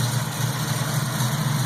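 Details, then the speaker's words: 1967 Pontiac Firebird carbureted V8 idling after installing a warranty-replacement Holley carburetor, idle turned up slightly: steady, even low rumble with no misses or knocks, sounds good before air-fuel mixture tuning. "to say damn in it sounds pretty good"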